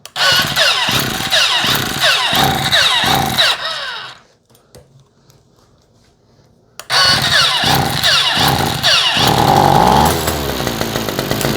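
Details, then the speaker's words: Non-starting 2-stroke string trimmer, air filter cover off, given starter fluid: bumps and buzzes briefly then coasts down slowly; it has spark and compression, so a fuel delivery fault. "So that right there is pretty obvious. We've got a fuel delivery issue. Since it bumped over like that, we know it's got spark. We know it's got compression. We know it's got all of the things that we need except for fuel."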